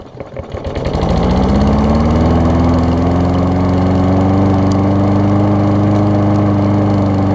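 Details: Toro self-propelled mower with Kohler engine, after spark plug cleaned with carb cleaner restored spark: catches after a few coughs, picks up speed within a second and settles into a steady, even drone; running properly, self-propel works.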